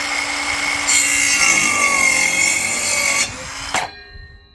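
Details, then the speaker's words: Parkside 20V cordless circular saw (PHKSA 20-Li A2 or C4) on 2Ah battery cutting timber: strong steady high blade whine holding speed under load, clean spin-down; normal cutting. "Both performed exceptionally well, cutting that bit of timber. The newer one that you saw was the second clip. It seemed to have more power."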